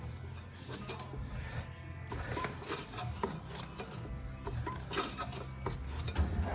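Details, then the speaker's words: Front brake rotors on a heavy car, owner suspects overheating from stopping without the chute; wheel off, hub spun slowly by hand gives a rough scraping rub every turn, with background music. Rotors badly warped. "clearly it is warped pretty bad and you can hear all the noise in there so we're going to change the rotors real fast fast repack the the bearings with grease and do the same thing to the back"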